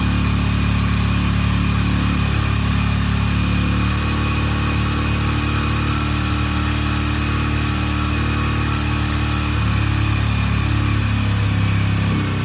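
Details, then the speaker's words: Flood-damaged, previously locked-up Yamaha TTR 125 single-cylinder running after being freed up; uneven thumping at fast idle with choked exhaust note, smoking badly; owner suspects heavy back pressure, cause unconfirmed; fuel leaking; rough running. "so great um smoking bad sounds like it's got a bunch of back pressure"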